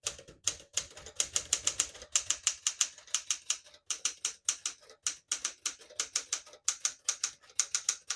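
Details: Serviced 1966 Smith-Corona Sterling portable typewriter typing normally: crisp, even keystrikes in quick bursts of three to six, clean snappy action with no drag.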